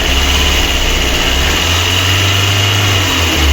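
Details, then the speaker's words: VAZ 2112 1.6 second-generation petrol engine idling with misfires on cylinder 4: uneven, lumpy beat; not overheating, gasket intact; compression test found a burnt valve. "Попередньо зробили діагностику, пропуски по четвертому циліндру. Чуємо, як двигуну погано."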